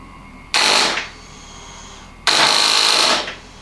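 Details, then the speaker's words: First starter test on a custom Bonneville land-speed bike, turbo Suzuki GSXR 998cc engine with MaxxECU, no fluids or fuel in it: two short high-pitched whirring bursts, about half a second and one second, no firing; starter spins the dry engine. "But it would be nice to know if there's a link to the starter. And I have not done this before. So, this might be really good, or nothing might happen."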